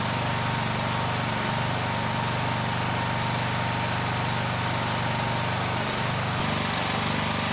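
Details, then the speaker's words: Honda GX390-powered 4000 PSI hot water pressure washer after replacing the locked-up pump, running with tip on, burner off, building pressure: steady, even engine drone holding speed, no knocks or hunting; runs healthy. "And this time we have the tip. So we are going to build pressure. And the burner should turn on."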